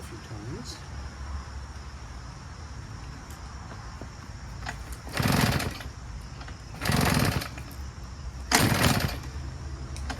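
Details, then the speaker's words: Husqvarna 150BT two-stroke backpack leaf blower: three weak pull-start chugs about two seconds apart that never catch; runs only briefly on two-stroke oil poured into the spark plug hole, then no compression, so it starts hard. "the minute it ran that it burns off all that two-stroke oil for that period of time that it runs for now again you have no compression"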